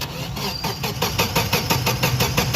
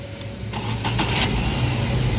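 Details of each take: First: Car that cranks but won't start (no spark, no injector pulse per diagnosis): starter turns the engine in a steady whirring chug, about seven pulses a second, but it never fires; the battery is too weak. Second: Car that had sat 3–4 days not starting; the scanner and wiring checks found the fault was only a bad battery. With the replacement battery it gives a short crank, then catches cleanly and settles into an even steady idle: a normal start.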